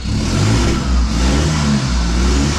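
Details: Nissan Patrol diesel on first start after new injectors, service and intercooler pipe refit, some white smoke seen: deep rev rising and holding under throttle, slightly rough and heavy; checked for black smoke on revving, little seen, cause not confirmed.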